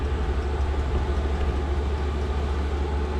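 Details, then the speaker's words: Cheap Chinese diesel heater (under £80) in a Ford Transit Mk8 van conversion, first start: steady even low hum, no misfire or stumbling, running smoothly; kicking out heat and some smoke, said normal when new. "i don't know if you can hear that but it's kicking out some heat it's also kicking out some smoke but apparently they do kick out a bit of smoke when you first get them"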